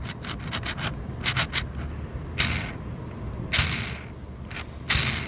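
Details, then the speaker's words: Stihl FS76 trimmer gearbox head turned by hand during teardown: gritty, scratchy rasp in short bursts, metal rubbing on metal; gearbox is dry and needs grease. "okay so it sounds like it's metal on metal and it shouldn't be so we're going to put some grease into there"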